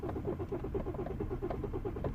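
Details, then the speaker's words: 2011 BMW 118d E82 diesel, cuts out under load, codes point to fuel supply: cranking at about eight beats a second with no firing; rail pressure only reaches about 130 bar versus roughly 300 needed, presupply 5 bar. Crank, no start, low rail pressure. "tried to go in but he doesn't go above about 1 30 so I'm gonna stop"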